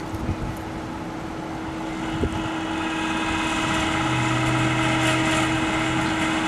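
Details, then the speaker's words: Central air conditioner outdoor condenser fan motor running: steady droning hum with a rough, uneven whirr on it; the fan motor is failing and needs replacing. "that if your air conditioner sounds like that then you don't need to investigate any further you need a new fan motor"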